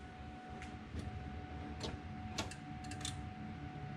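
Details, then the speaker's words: Coyote-swapped 2002 Mustang GT, first start attempt with the control pack wired to the starter signal: quiet with scattered sharp clicks like relays popping, no starter whirr or engine turning; relay clicking, no crank. "I don't know. I hear it sounds like relays popping."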